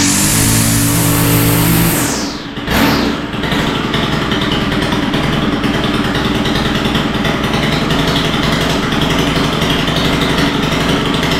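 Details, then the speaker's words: Stihl FS91R four-stroke line trimmer that started and idled but wouldn't take throttle, after carburetor work: revs cleanly, drops off, then holds a steady high-pitched run without bogging; idle still seems a little rich, needs adjustment; normal revving after carburetor repair. "all right well it's sounding pretty good but uh I think it needs a little adjustment"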